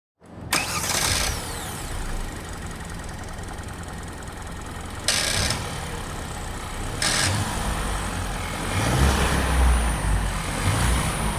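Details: 2021 Kia Ceed 1.5 T-GDI (4-cylinder turbo, direct injection) starting and revving with a brief metallic rattle over the rising engine note, always present when accelerating and loud inside the cabin; dealer calls it normal operation.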